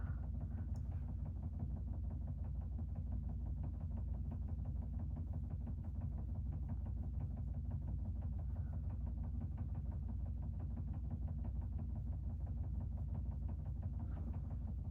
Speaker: but knocking is super annoying if you can hear it I am so sorry